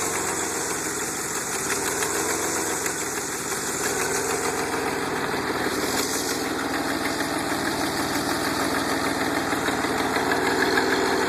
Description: This is a record of the exhaust noise from VIN 4534 prior to the installation of an aftermarket exhaust kit.